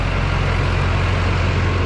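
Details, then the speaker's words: Duramax started after work to stop a leak, to check whether it still leaks. A loud, steady low diesel rumble with an even beat and no misses or knocks: healthy start and idle. "Yeah, buddy. Whew. Sounds good every time she starts up, guys."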